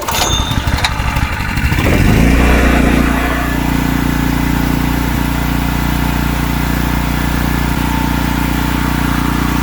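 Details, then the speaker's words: Wacker Neuson GP2500 2500W portable generator after carburetor cleanup, choke on: catches and settles into a steady, low, lazy drone. Engine sounds slow; owner suspects low speed and will verify with a tachometer. "Sounds like it might be running a little bit slow to be honest. I'm just going to double check. I'm going to hook up my tachometer."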